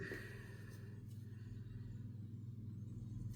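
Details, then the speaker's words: Polaris Matryx snowmobile chassis bogie/idler wheel after bearing replacement, spun by hand: smooth even low hum with a steady soft rhythm and no gravelly roughness like the old bearings. The new bearing runs clean. "Spins nice and easy. Doesn't sound like there's gravel in the bearings compared to these ones."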